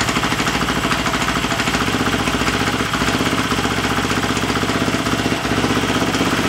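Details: Husqvarna FE350 converted to FE 366 idling in the garage after a full rebuild, with the spark plug wire reseated and idle raised slightly: steady even single-cylinder thump with no misses or knocks. Healthy idle.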